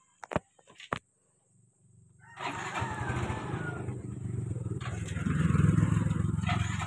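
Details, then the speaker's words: Yamaha Mio i 125 that stalled at idle, after throttle body cleaning and idle screw set about two and a half turns out: starter whirs, engine catches and settles into steady even idle without stalling. "so aan mga paps hindi na siya namatay"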